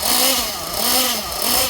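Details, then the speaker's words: Jammin JPX 21 nitro engine with Pico head in an RC truggy, warming up from 149 degrees: high buzzy note swells and falls, dropping cleanly to steady idle each time, thick exhaust smoke; normal return to idle. "It drops to idle very nicely now. Nice thick trail of smoke coming from the exhaust."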